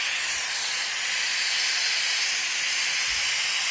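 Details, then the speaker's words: Compressed-air-driven oil extraction machine charging its vacuum before pulling oil from a warm Toro walk-behind lawnmower engine during service: steady, even high-pitched air hiss with no sputter or pitch change while the gauge climbs; normal vacuum generator hiss. "Wait for this vacuum to appear on this gauge here to go right round to there."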